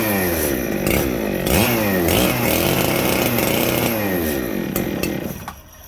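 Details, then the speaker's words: Ported Echo 7310 chainsaw with muffler mod: fast idle that surges up and down instead of settling low; an air leak was found. "Oh! Let's do that a third time. I think we found our air leak. Definitely found our air leak."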